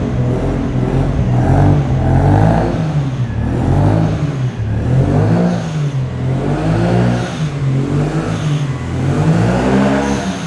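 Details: Nissan Skyline R33 first start after ECU inspection (oxidation, possibly burnt resistor): deep steady engine rising and falling smoothly through gentle revs, running without throttle, no knocking or rattling; runs normally.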